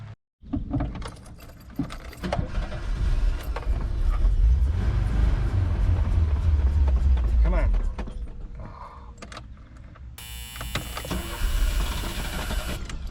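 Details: 1989 VW Vanagon that turns over but won't start, after fuel filter replacement and adding 93 octane gas and Seafoam: starter cranks, engine briefly catches with rough low rumble then dies; filter wasn't the cause, owner next suspects fuel pump or plugs.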